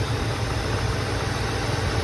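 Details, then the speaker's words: 1984 Mercedes 380SL R107 V8 just after fitting new Bosch fuel injectors for warm-start trouble: long crank before starting, possibly refilling fuel lines, then even low steady idle without stumbles or misses. "i thought it wasn't going to start it took a long time to crank and then it started"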